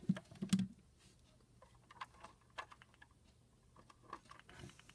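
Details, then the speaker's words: Extension phone on a Panasonic TA824 hybrid PBX set to dial pulse: quiet, uneven bursts of sharp clicks as digits are pulsed out; normal pulse dialing. "remember it's on a dial pulsating right now that's why you hear all those pulse noises"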